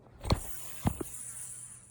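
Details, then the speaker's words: Rusty idler pulley on the underside of a plow truck, spun by hand: a couple of knocks, then a thin high whir fading as it coasts down. The bearing sounds dry and worn, and a replacement was sourced. "Got a nice little idler. She don't sound too good. You can tell because it's rusty as fuck."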